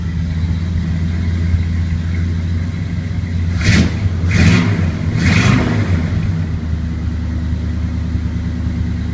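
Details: 1981 Chevrolet K10, 350 small-block V8, after new HEI cap, rotor, timing recurve kit, coil and ignition module: starts, steady idle, quick throttle blips rise and settle cleanly, no stumbling; healthy ignition.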